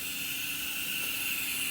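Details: Audi TT APX 1.8T 20v with K04 turbo in a Karmann Ghia, boost system pressure-tested with compressed air: steady airy hiss with nothing mechanical, air escaping through the diverter valve body.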